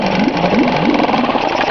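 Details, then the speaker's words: 1983 Yamaha-made Mariner 4hp single-cylinder outboard, low hours, sat two years, restarted warm: quick, even buzzing idle with steady beat, no misses or rattles; runs clean, normal idle. "get it off the compression stroke it just like that there she is again boy that thing runs out nice"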